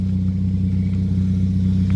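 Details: 2010 Toyota Yaris, 1.5 L four-cylinder, manual, about 114,000 miles, recorded at the rear with the muffler removed: deep, steady drone with an even pulse and no misses. Unmuffled but healthy exhaust note.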